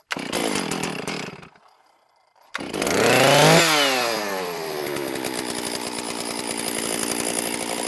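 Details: STIHL MS460 chainsaw after a piston replacement (the old piston showed aluminum transfer; an air leak was possible), first start with fuel evacuated: it fires on one pull, revs up sharply, then settles into a steady, crisp, even run and sounds healthy.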